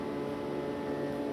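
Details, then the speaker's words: Noise Boundary robotic reed organ with its vacuum pump running, recorded in a garage before a demo: a faint, steady mid-pitched tone hums under the pump noise from one reed leaking air; it needs fixing but is not loud enough to bother anything. "One of our reads is currently leaking a little bit. You can hear a slight tone"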